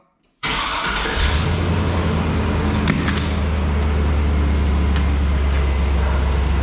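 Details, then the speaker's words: 2004 Silverado 2500HD with 6.0 LQ4, just after fuel pump replacement: quick crank, clean catch, steady even idle with no leaks or pump whine; normal start and idle. "just put it under a pretty good load and it definitely RPMs better"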